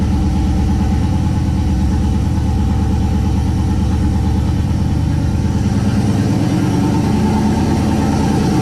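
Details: 1969 Plymouth Valiant, stock 360 Magnum V8, Mopar Performance cam, new Proform intake, GT45 turbo at 5 psi, first start in a month: fired instantly, deep, steady, even idle with a smooth low rumble and no knocks or misses; normal idle.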